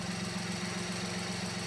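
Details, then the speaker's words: Mini Cooper (BMW engine) at idle with the engine cover off during a spark plug change: steady idle with a quick, even tick, lifters and cam noise suspected, possibly the cam timing tensioner; may quiet down once oiled; engine ticking. "but it sounds like you have valve cap real bad and uh bmws are notorious for this"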